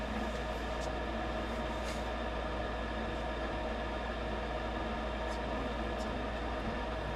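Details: Rheem gas furnace after a no-heat call with code 57 (high pressure switch open, inducer on high); a stuck pressure switch was exercised free. Steady, even whoosh and low hum with no rattles or cycling; inducer and burner now running normally, switch replacement still advised.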